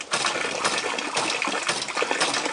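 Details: Experimental double-acting siphon hydraulic ram pump running, lifting water about 4 m: steady rush of water with a sharp valve clack about every half second; ram cycling evenly.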